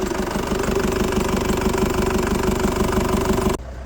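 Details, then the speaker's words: Motorhome van diesel, first start after a cylinder head rebuild and fuel line bleeding. It idles at an even clatter, about three beats a second, with no tapping valves, but a bit smoky, possibly oil burning off: smoky running after head rebuild. "It's a bit smoky, but that could well be oil burning off."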